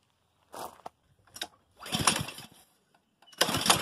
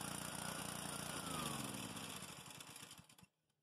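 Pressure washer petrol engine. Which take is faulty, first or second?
first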